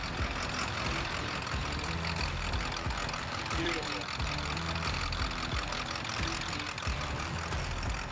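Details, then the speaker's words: 7.3 Powerstroke diesel just rebuilt after blown head gaskets, with one exhaust bolt left out so it has an exhaust leak: steady, even idle holding on its own with a low rumble and no knocks or misses. "Well, we got her going. She is idling now all on her own."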